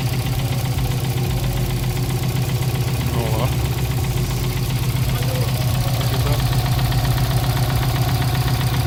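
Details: Subaru WRX fourth JDM swap engine, restarted after fresh oil fill to level: steady low knock about four beats per second over idle; owner suspects oil pan/sump starving the engine of oil, not confirmed.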